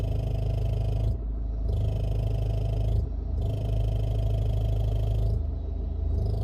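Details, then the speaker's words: Running engine being levered at the engine mount while idling: an uneven clatter and rubbing knock from underneath when the engine shifts left, likely something touching at the exhaust joint. "yani motorumuz sol tarafa kaydığı zaman bu ses alttan geliyor direkt Aşağıdan bir yerden Büyük ihtimal ekoz bağlantısının olduğu yerde bir sor var"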